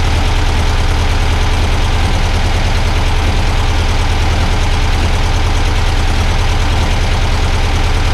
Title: VW Type 3 Fastback Engine start after rebuild.